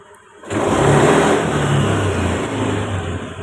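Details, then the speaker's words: Honda Beat fuel-injected scooter with hesitation (brebet) and stalling, pressure reading about 30 instead of 40; after a manual reset it catches and revs up quickly and cleanly, then settles without sputter; throttle response crisp, problem fixed. "ini sudah langsung responsif ya Jadi untuk masalahnya ini sudah teratasi ya"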